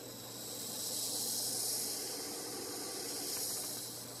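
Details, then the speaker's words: Mondial CM-15 amplified speaker idle in Bluetooth mode with volume at minimum: steady high hiss with a faint low hum; owner suspects poor grounding of the internal circuit. "aterramento, né, do circuito interno dessa caixa aqui da Mondial não é muito eficiente. Mesmo que não esteja executando nada e o volume lá atrás está no mínimo, ainda há essa interferência."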